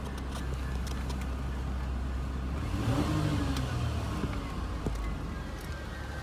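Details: 2004 GMC Envoy XUV pickup given a brief RPM push after startup, heard from outside: smooth idle rises cleanly and settles back, no knocks or pings; normal healthy revving.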